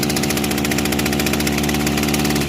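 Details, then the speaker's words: Kawasaki TJ35 brush cutter two-stroke before repair: rough, labouring drone that never clears, with heavy vibration; engine runs but struggles, bogging caused by a carbon-blocked exhaust port and a carburettor needing service. "You can hear that the engine runs. But it struggles."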